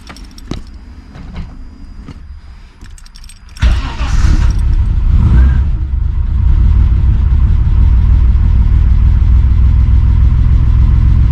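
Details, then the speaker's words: Holden VL Turbo Commodore, cold, first start after a timing belt install: short crank, fires first try and settles into a strong, even idle with high oil pressure. Full compression returned after the broken-timing no-compression fault. "definitely pretty cold but um fired up first guy got monster oil pressure happy days"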